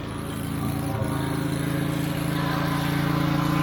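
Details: Wright Stander stand-up mower single-cylinder engine after carburetor replacement (it previously died unless choked): steady putter with an even beat around four per second, no stumbling or surging, running smoothly; tank fuel grommet still leaking.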